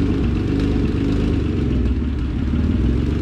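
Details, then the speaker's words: Acura NSX on the dyno with a new Pulsar GTX3584RS turbo, under throttle: loud, raw note with harsh rasping chatter. Exhaust leak where the V-band clamp from the front pipe to the back of the turbo popped. "i think we might have sprung an exhaust leak that b-band broke"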